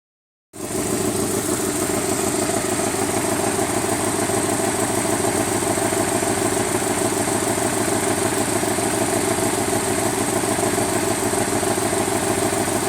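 Steady idle with a fast, even light tick, roughly three per second, riding on top of the engine note; source not pinned down.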